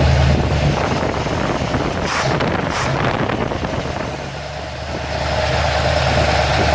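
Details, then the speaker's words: Ford XC Fairmont 351 V8 on engine running stand, freshly fitted Thermoquad carburettor, choke not yet set, smelled very rich at first; deep V8 burble settles to steady idle, eases off and picks up smoothly without misses — normal idle and revving, runs well. "got to be happy with that I think that runs well so I'm not going to set the choke up on the engine St"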